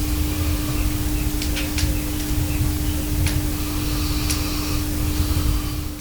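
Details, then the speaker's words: Audio transformer recorded at very high microphone gain: faint, perfectly steady low hum with fireplace crackle in background, the normal slight hum of a healthy audio transformer. "Ale to nie znaczy że transformator audio jest całkiem bezgłośny przy bardzo dużym wzmocnieniu sygnału z mikrofonu słychać lekkie buczenie brzmi to mniej więcej tak"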